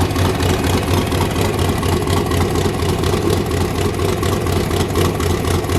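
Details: 331 ci small block Ford, AFR aluminum heads, Quicktime turbo kit with eBay 7875 turbo, first run of muffler test before fitting exhaust; deep, lumpy idle with steady loping cam chop about two beats a second, no ticking or leak hiss. Healthy.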